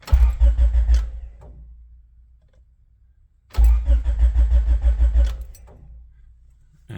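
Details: Honda hatch with an H22 engine that died: two short bursts of rhythmic starter cranking and it never catches; the fuel pump and relay work, the battery is charged, the distributor is new and there is spark, and the owner suspects the ignition switch.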